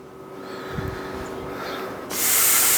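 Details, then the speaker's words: Plasma cutter after replacing its faulty 220 V plug, air compressor connected: quiet electrical hum, then a sudden steady rush of air as it powers up; starts and works normally. "got it turned on [Music] and it looks like it's coming to life"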